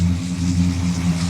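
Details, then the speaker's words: Bagged 1965 Cadillac V8 after repair, idling with accessories off while charging at about 13.6 V: smooth even low idle with steady rumble, no knocks or misses; running healthy, air suspension working again. "she's purring like a kitten though guys I'm I'm happy"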